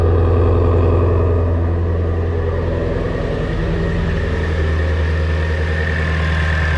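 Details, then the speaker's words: Shelby GT350 V8 idling after first start following oil pump gear upgrade, Gen 5 Whipple supercharger install and new tune: deep, steady idle with no stumble, tick or knock; normal idle. "Okay, it runs. It's a good sign."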